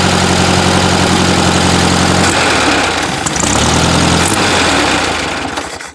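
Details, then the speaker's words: VW Beetle after seven months sitting, new oil and replaced carburetor, idling too high: steady fast idle stumbles raggedly when throttle is opened, then stalls, from an accelerator pump issue; slight engine tapping and missing also noted. "Alright, I'll show you the issue with the accelerator pump. Also, another issue on this Beetle is it idles too high because of the carburetor still. But here's what happens when you give her too much throttle."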